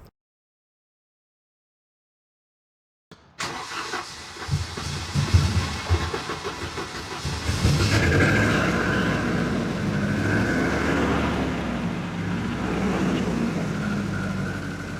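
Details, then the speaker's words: 1988 Volvo 240 petrol engine cranks, catches and idles roughly with a steady knock about three a second. The owner believes it is piston slap, with excessive blow-by and oil smoke from the exhaust. "You hear that? All the piston slap."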